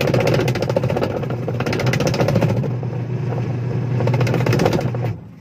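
A steady, even low hum for about five seconds with no slapping or squeal, then it winds down; the washer runs normally.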